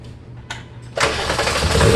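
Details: 1996 Mk3 VW GTI VR6: short starter whir, then steady fast cranking that never fires. It starts with starter fluid despite new fuel pump, cam sensor and relays, and good injector signal and fuel. Crank no start, cause unconfirmed.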